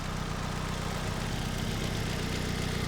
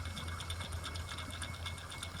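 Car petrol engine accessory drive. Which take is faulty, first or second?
second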